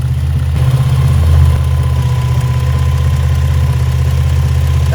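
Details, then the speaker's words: Engine after tune-up: steady low idle with a slightly uneven pulse and a faint thin hiss; spraying the rear exhaust header gasket changes readings, pinpointing a vacuum leak there. "i see a difference when i do that so that's letting me know that's where the leak is at"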